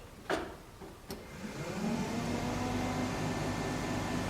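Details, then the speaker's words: 1967 Chevy C10 Stepside barn-find heater, controls repaired last winter now misbehaving: clicks, then blower whirs to a steady hum, setting unclear between medium and high; speed changes when the switch lever moves, switch seems a little funny. "medium or is that high uh wait now it just shut up did you hear the speed change that was moving this ah okay yeah the switch is just a little funny"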